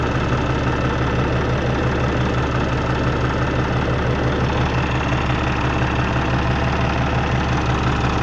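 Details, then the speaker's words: Peterbilt with ISX Cummins CM2250, about 829,000 miles, after front structure reseal and updated common rail pump: steady, even diesel idle with low rhythmic clatter, no misses; fan shuts off, air dryer purges; runs healthy. "you'll see the air dryer purge on it and we'll idle it back down see what it sounds like check for leaks make sure we did everything right"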